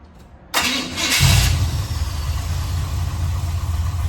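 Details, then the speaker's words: 1984 Chevrolet one-ton wrecker V8 after fixing passenger-side header leak: fires up to steady idle with faint rapid puffing tick; no longer leaking at header pipes, now leaking down at the collector; whole exhaust being replaced. "I don't hear anything up in the engine bay. Let me grab the phone. Up at the header pipes anymore. Sounds like we're just leaking up down to the collector now."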